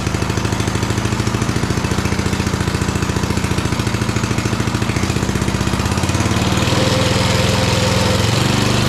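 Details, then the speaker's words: Small single-cylinder engine, reel and drive not engaged, started on choke: fires evenly with a steady quick putter that settles smoothly as the choke comes off; it runs really good although the carburetor needs cleaning. "I'll probably This thing runs really good, too."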